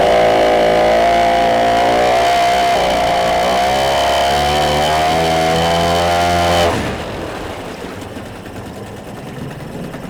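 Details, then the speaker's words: Yamaha 5 two-stroke outboard No. 1 on internal tank, after lowering idle speed, check-port stream flowing: steady even buzz with no misses or stumbles, then shuts off cleanly. Normal running. "The motor runs and works perfectly."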